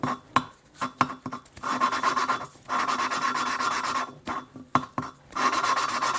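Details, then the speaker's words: Small-block Chevy cylinder head rebuild, hand-lapping an exhaust valve with grinding compound and a suction-cup tool: gritty rasping in short back-and-forth twists, rough at first then evening out; the seat is not yet mated and the sound gets smoother as it beds in. "You just squeeze it on there, let the suction, and just twist. You hear that sound? So you want to lift and"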